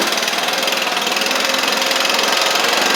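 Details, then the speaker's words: Stihl BR700 two-stroke blower, previously non-running, after a Hipa carb kit install, warming up after some choke play: bright buzzy steady note, no stumbling or surging; running properly. "So, let's crank it up. I just kind of had to play with it a little"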